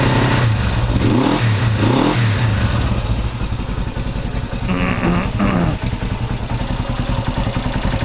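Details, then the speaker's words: 1970 Honda CB450 twin, after gas leaked into engine oil from petcock left on reserve: steady idle with quick throttle blips rising and settling cleanly, light normal valve clatter ("a little bit clicky"); healthy running. "A little bit clicky, but that's probably good."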